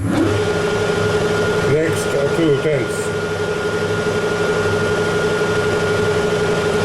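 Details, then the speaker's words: Lathe hard-turning case-hardened linear shafting at 0.2 mm per pass with carriage locked: steady, slightly musical ringing tone over the motor hum as the tool sings on the hardened steel. "yeah it's a little bit musical you can hear there"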